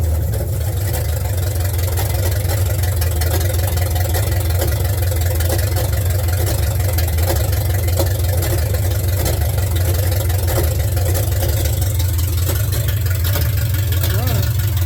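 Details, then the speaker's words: 1972 Ford F100, first start after sitting in a field, in park: deep, loud unmuffled V8 idle with heavy rumble and slight unevenness, sounding like open headers; some smoke, bad old gas suspected, carburetor cleaning planned. "Oh, baby. Sounds like open headers. See what we got."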